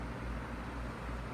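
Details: Feature Comforts FT30-3D table fan, needing a clean, on speed 1 with oscillation on: soft, steady airy hum with no rattles, ticks or catches while sweeping; runs normally.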